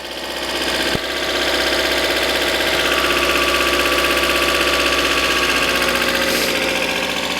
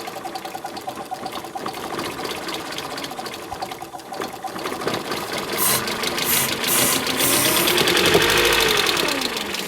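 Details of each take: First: 1994 Mercedes W202 C220, full tank, coolant not yet 40°C: even, steady idle with no knocks or misses and a smooth unchanging note; engine running fine. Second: 1994 Mercedes W202 C220 being prepared for drag racing revs up and down with a quick, fairly regular tapping about four per second, just after refitting spark plugs; oil found in plug wells; source not pinned down.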